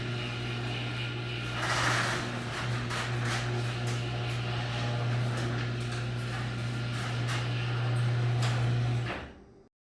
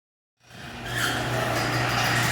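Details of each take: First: Garage door after its dry, dirty hinges were sprayed twice with garage door lubricant: smooth run under a steady motor hum with light rolling clicks and no squeal, stopping at the end. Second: Garage door opening before lubrication: steady opener motor hum with scraping, screechy noise from dry, dirty hinges, fixed by spraying the hinges with garage door lubricant.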